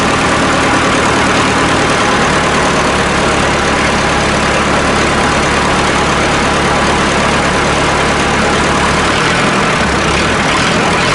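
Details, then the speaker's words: Massey Ferguson 1080 tractor (likely ex-French, bought as a scrap non-runner with fuel, battery and electrical problems), first cold start with a little ether; steady, even diesel rumble at idle with no misses, knocks or hunting. Normal idle. "now i'm really pleased with that not missing a beat"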